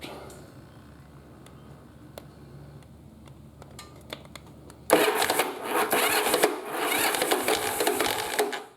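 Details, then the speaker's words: Yamaha Virago V-twin, rebuilt cafe build, ignition coil wires deliberately swapped: starter spins it over with uneven chuffing that almost hits but never catches, because spark comes at the wrong time; cranking no-start. "so it doesn't want to fire see so it almost sounds like it wants to hit but it's not hitting and that's simply because the spark is not sparking at the right time"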